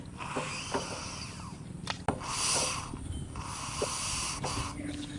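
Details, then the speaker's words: 12 HP engine with a starting problem, turned over slowly by hand: each compression stroke gives a breathy hiss instead of a firm puff, little compression; leaking head valve, with the head gasket also said to be cut. "আশা করি আপনারা বুঝতে পারছেন যে যদি বাল leak থাকে তাহলে কেমন শব্দ হইতে পারে।"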